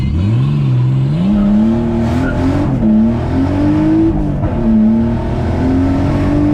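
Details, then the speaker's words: Nissan R33 at a drift event, hot: the engine note climbs and falls, uneven and choppy, with power dropping off. Misfiring under load and down on power, cause unknown. "Sounds like misfire. Yeah, I hear that. It is hot. The car is hot. The car is misfiring. It's down on power."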